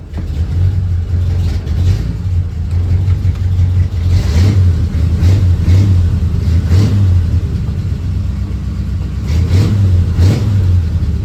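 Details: 1940 Ford Tudor after installing welded tailpipes from a kit, before hangers and cutting to length: deep steady idle burble with quick throttle blips; exhaust sounds clean and tight, no puffing leaks.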